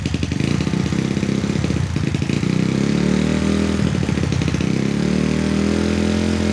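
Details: Honda Sonic motorcycle that would not start (no spark) after wiring was tidied, now restarted after re-seating the ignition coil connection: catches straight away and settles into a steady, even single-cylinder idle with no misses or knocks; running normally.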